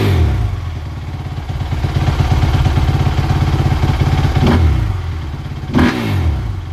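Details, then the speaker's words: 2017 Suzuki RM-Z450 motocross bike after fitting new grips, brake lever and handguards: even single-cylinder thumping idle, two quick throttle blips dropping straight back without hanging; normal idle and revs. "That's it. Seems to work just fine, like it did before."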